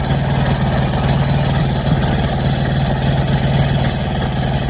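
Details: TVS Victor motorcycle, a long-stored non-starter, after a full carburetor cleaning and tuning: steady, even single-cylinder putter at idle with no misses or knocks; normal idle.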